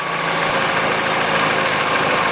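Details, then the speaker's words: Peugeot 408 2012, 1.6 petrol, automatic, 87,000 km: after replacing the stretched drive belt (DAYCO 6PK900), a smooth, even idle with nothing rattling and the belt tensioner no longer shaking. The stretched belt had caused the knock. "ничего не болтается ничего не исключит и натяжитель его не колбасит как его колбасило"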